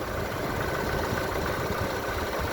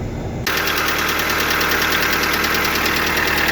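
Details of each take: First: Lada Largus engine at hot idle after changing to thicker oil: steady even beat, much quieter, no lifter ticking; owner notes lifters start clicking again when hotter and plans thicker oil. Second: Lada Largus/Vesta, hot idle with the oil pressure lamp flashing and then staying lit: fast, uneven light tapping about three times a second, hydraulic lifters knocking as the heated oil loses pressure; thicker oil needed.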